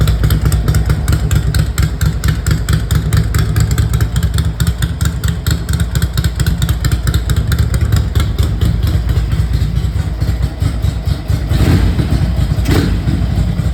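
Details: 1982 Ducati 900SS V-twin, first kick start after sitting 15 years and a carburettor rebuild, tickler-primed: loud, even idle with a steady lumpy beat around two per second, holding speed without stumbling; running cleanly.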